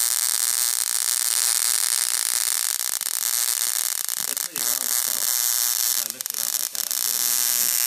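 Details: Homemade single-2N3055 flyback driver fed about 6.3 V from a 12 V transformer, with UF4007 protection diodes. A sustained sizzling arc hiss with little low end and brief dropouts. Normal flyback arc.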